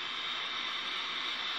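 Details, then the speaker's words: Chinese-brand CRT TV chassis, no antenna connected, picture dominated by yellow or red: only a steady hiss comes from the speaker with no program sound; audio fault, cause not yet found. "Nah suaranya hanya desis ya jadi suaranya desis gambar ini saya tanpa menggunakan antena ya"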